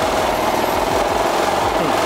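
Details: Wakita HPG2300is 2.3 kVA inverter generator (27 kg, emergency use) idling in economy mode after light maintenance: steady, even mid-pitched drone with no misses or knocks, a healthy economy-mode idle.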